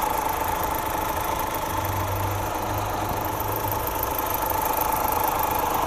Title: Стук гидрокомпенсаторов